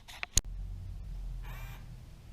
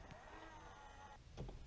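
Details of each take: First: 2002 Ford F150 Harley-Davidson power side mirror after cleaning and greasing the mirror switch contacts: short, smooth whirring runs of one to one and a half seconds, steady pitch, no clicking or grinding; normal mirror motor operation. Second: this is how the mirror operated and sounded before i made the repair you can actually hear the weak operation of the motor and it does not adjust in all directions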